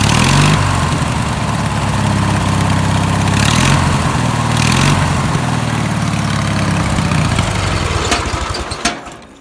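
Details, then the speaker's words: Home-built racing mower twin restarted after dying with a white puff from the carb, to test the fuel pump and carburetor. It hunts unevenly at the low end before dying and still needs low-end tuning; the fuel pump is suspected. Finding: rough running at low speed. "Okay. Well, it does run. Um, still needs a bit of tuning on the lower end, but um, it does run."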